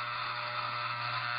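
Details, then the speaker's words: Hair trimmer (T-Outliner) running with blade adjustment screw loosened a quarter turn: harsh metallic rattle, louder than hair buildup, as the screw bounces against a nearby piece; fix is tightening it. "It sounds kind of like it sounds when there's a lot of hair in there, but it's a little louder, a little more metallic. So you can hear this screw kind of bouncing around against or getting hit by this piece here."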